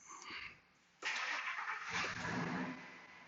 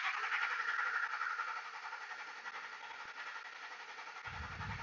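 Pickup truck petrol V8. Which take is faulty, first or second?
second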